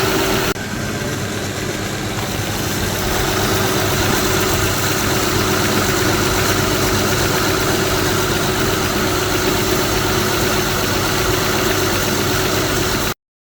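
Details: Smooth, even idle of a 2007 Honda Odyssey Touring 3.5 V6 after belt tensioner assembly replacement; no bearing noise, unlike the old stripped assembly whose bearing was audible.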